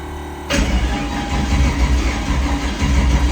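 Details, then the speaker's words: 5.3L drag truck that died mid-pass after the boost controller duty cycle was raised 7%, trying to restart. It catches after a quiet start and runs rough and lumpy with a dead hole, likely one cylinder not firing. Uneven running with misfire. "Let me show you what it sounds like. You can hear it's got a dead hole. Doesn't sound good."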